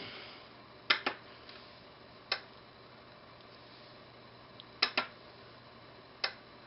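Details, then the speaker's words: Crisp relay clicks from a 5V relay on an electronics learning board, driven by a transistor from a delay output, switching on briefly and releasing, some clicks in quick pairs; normal relay operation. "Now, you're not going to be able to see much with the relay, but you'll be able to hear the click."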